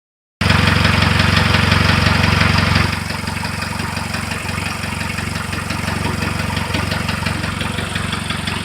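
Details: Engine starts and settles into an even idle with a steady light knock about four per second throughout; the source of the knock is unknown and not pinned down.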